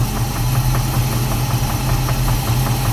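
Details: Chevrolet Caprice, 350 V8 with 650 cfm Holley carburetor, transmission stuck in first gear: runs well, but with idle turned all the way down a sharp regular knock taps about six times a second, also felt through the valve cover; internal cause suspected, not confirmed.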